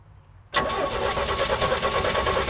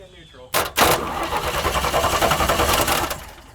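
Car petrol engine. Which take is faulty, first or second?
first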